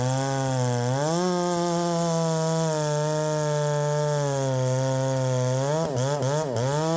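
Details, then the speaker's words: Poulan 3750 ported chainsaw with adapted Chinese Echo 590 carburetor, exhaust just retightened: revs up and won't settle, then stumbles and bogs; enriching the mixture makes it load up; owner suspects the Chinese carburetor. "I mean it's not wanting to settle down and then whenever I rich it up to get it to settle down it loads up or at least that's what it seems as though it's doing"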